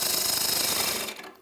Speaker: When you turn, you listen, and you can hear that little knocking noise right now. That's because I'm turning into an area where there's a shadow or a void where it's not completely round.